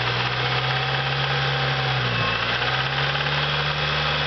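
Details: Acura RSX, hot idle, valve clearance already checked: dull steady knock under the engine drone, sounding valvetrain-like in person; confirmed spun rod bearing, fixed by K24 engine swap.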